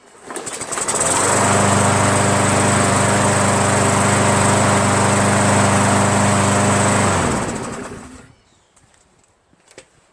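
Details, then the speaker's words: MTD 500E 21-inch Briggs push mower, roadside find, restarted after straightening its bent bail brake kill handle; fires straight up and holds a steady, even drone several seconds before shutting off. Normal healthy running; something is wrapped around the crankshaft underneath. "I'm pretty amazed so far that it just starts like that. Let's try it again."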